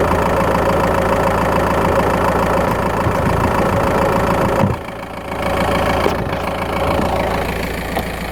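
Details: Skoda Octavia 1.9 TDI PD driving, mic in battery box: fast uneven ticking and chirping over engine drone, mainly when accelerating; cause unknown.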